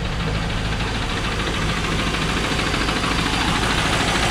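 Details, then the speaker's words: 2001 Pontiac Trans Am V8 on Mobil 1 synthetic with Marvel Mystery Oil, Lucas and Seafoam, started during oil change: steady idle with a deep regular knock about three times a second, maybe slightly quieter; bottom-end knock suspected, not confirmed. "well at the moment maybe a little bit quieter but not by much"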